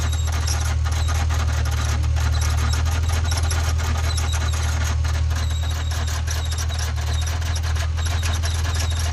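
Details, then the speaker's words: Honda NSX at idle: a steady squeal over a smooth idle persists after the belt is sprayed, pointing to a worn, gritty idler pulley. The alternator slipped earlier, with voltage dropping briefly, so a slipping belt was first suspected. "that [ __ ] was like the alternator slipped i saw the voltage drop a little bit they came back and i was like okay bell's slipping"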